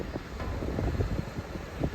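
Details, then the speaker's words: Van sitting about a year, driving after brake work: steady low engine rumble while cruising, even and free of knocks or misses under wind noise; running healthy, slight rear noise from rust on brakes. "It sounds way better though. Look, it's cruising."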